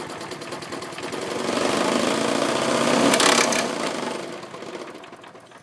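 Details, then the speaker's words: Briggs and Stratton mower engine salvaged from an old deck: quick metallic rattle about four per second, rising with speed and fading as it slows, whole deck vibrates; owner suspects something loose, maybe a missing screw or loose blade, unconfirmed. "That's what I mean by it rattling. Huh. Weird. I don't know. It might be on there loose or something."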